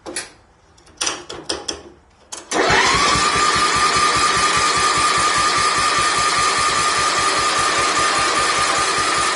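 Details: Wheel Horse tractor engine, first start after rebuild (new valve guides): a few cranking bursts, catches near 2.5 seconds and settles into a steady, even beat; normal running.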